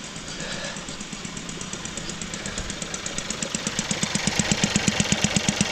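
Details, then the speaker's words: Seat Leon FR petrol engine running, reported for a squeaking belt noise: sharp rhythmic pumping tick, growing louder. Traced to the fuel evap pipe that returns fuel vapours to the tank, its clip broken. "that a strange pumping noise what's that pipe so it's a fuel evap so it's pubs in the fuel vehicles back to the tank"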